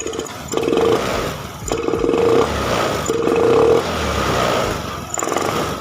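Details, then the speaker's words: Honda Beat FI injection scooter: rolling throttle on gradually runs normally, but snap throttle goes flat, stutters and bogs; no MIL codes, throttle body, fuel pump, EOT sensor, plug, injector swapped across 3+ shops without change. Cause not yet found. "intinya nih motor ketika direspon banget nggak mau atau ngok ya itu udah kelihatan tadi ya seperti itu"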